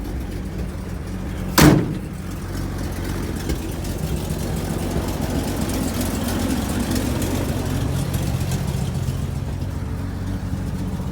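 After a sharp bang, the engine settles into a rough, steady idle with a raspy, chuffing edge, typical of a leaking exhaust.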